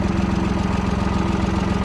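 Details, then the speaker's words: Yanmar F-220 22 hp mini tractor, three-cylinder diesel, 533 engine hours, started cold: even, regular idle chug with no skipped beats or extra knocks; engine running smoothly, normal. "Сильно насиловать не будем, но я думаю, видно, что и слышно, что мотор работает ровно."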